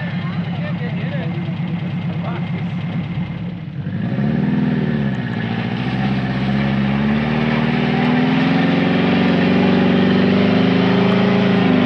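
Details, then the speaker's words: 1980 Subaru Brat engine, likely Weber carburetor, first start after sitting, fuel pump pushing fuel: revs swell, then sag and settle slowly into a lumpy idle, hanging above base; slow return from fast idle, sketchy throttle cable suspected. "Dude, it still sounds pretty good. It smells like a dirt bike. I wonder why. Oh yeah, coming right off the fast idle and That everything. throttle cable's a little sketch."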